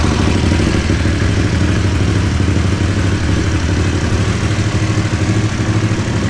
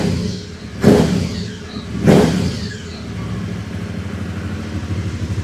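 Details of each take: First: Cold start and low idle with throttle blips on an Aprilia Caponord 1200 Rally whose airbox intake sleeve has been cut: deep, loud intake roar, far too noisy for slight power gain; loud intake noise from modified airbox. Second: Aprilia Caponord 1200 Rally with K&N filter, original uncut airbox sleeve restored and aftermarket exhaust: two sharp throttle blips with a deep, clean intake roar, then a steady lumpy idle, much quieter than with the cut airbox.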